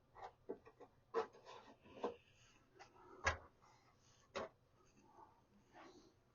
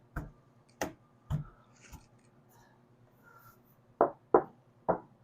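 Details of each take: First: 1976 Mercury Monarch dashboard rattle over bumps: quiet tapping then sharp rattling knocks about twice a second, from loose speaker retaining clips buzzing on metal; fixed with screws and silicone. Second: 1976 Mercury Monarch dash pad after adding sound deadener and contact ribs, tapped before refitting to chase a dash rattle. Seven dull, short thuds that die out at once with no buzz. Pad is solid, nothing loose.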